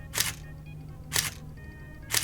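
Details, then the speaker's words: Nikon D80 after repair of shutter not firing with Err message: three crisp, complete shutter clacks about a second apart, no drag or stall; error cleared, shutter firing normally. "Well, she takes the shutter's firing. At least I don't know if she's taking photos yet, but shutter's firing, which was our original fault."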